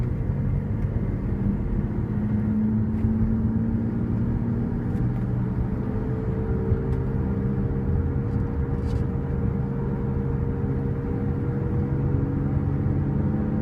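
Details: 2005 Cadillac SRX 3.6 V6 while driving: steady low hum over road rumble, suspected worn wheel bearing; not confirmed.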